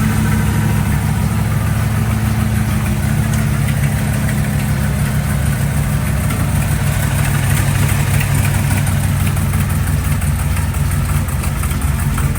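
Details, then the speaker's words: 1955 vehicle started for the first time since its engine was reinstalled. There is a deep, lumpy V8 idle with a harsh, raspy puff on every firing pulse. A hole in a header tube is suspected, giving a loud exhaust leak at idle. "is there a hole in the header sounds like there's a hole in the header in the tube over here for some reason"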